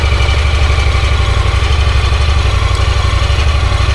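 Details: Honda Pioneer 1000-5 (2024) side-by-side right after first service, oil and filter change with six quarts, sub-transmission and differential oil refilled: steady even idle with regular low thump, no knocks or misses; normal idle.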